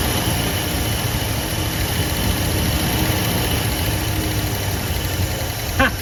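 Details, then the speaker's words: 1973 Ford F100, 302 Windsor V8, 3-speed column manual, first run after 16 years parked and carburetor work: even, rumbling idle with no knock or tick, a little smoky. It idles normally; smoke is expected to clear as the rings seat. "man it's not knocking enough like a sewing machine man it's a runner"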